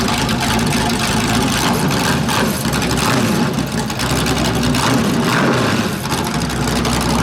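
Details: 408 LS stroker V8 on first start after build: deep idle with a rhythmic lope, beat swelling and dipping every second or so; normal big-cam idle, nothing mechanical; air-fuel around 13.3, possibly a touch lean, idle duty cycle 3%.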